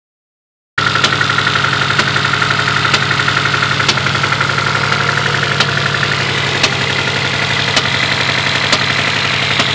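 Engine idling with an uneven knocking beat, roughly four a second, some beats heavier than others; sounds like a misfire. Cause suspected, not confirmed.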